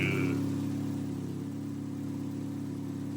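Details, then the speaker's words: Turbo 1.6 Miata with NB6 intake manifold and Skunk2 throttle body, after adjusting the idle screw: idles on its own with a steady, even low hum and no stumbles or surges; smooth healthy idle. "well it's idling on its own let's go just The Idler screw it is oh that sounds good"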